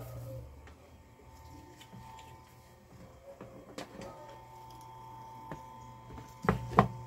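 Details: Arno Laveo electric fan after its bushing and thermal fuse were replaced, run through each speed setting: low, steady mains-like hum with an even drone and no rubbing or rattle; motor running smoothly after repair.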